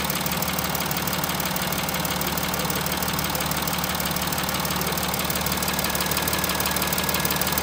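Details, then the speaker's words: VW Touareg 3.0 TDI diesel idling with a steady light knock, about two per second, over the clatter; loud on one side of the engine, absent on the other. Worn camshafts are knocking; two or four camshafts need replacing. "бывает хуже. С этой стороны стук прям такой. Здесь его нет. А вот здесь он есть."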